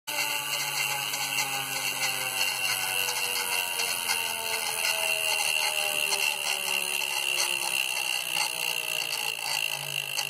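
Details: Wahoo Kickr trainer: a steady high-pitched whirr with bright tonal rings over a faint low hum that slowly drifts in pitch; owner asks whether this noise is normal, cause unexplained.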